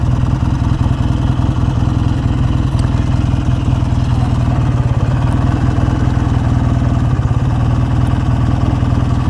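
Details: BSA A10 650 Super Rocket twin with electronic ignition, carburettor issue being diagnosed: loud, low, thumping idle with a ragged, uneven beat. Rich or lean mixture is questioned but not pinned down. Cause suspected, not confirmed.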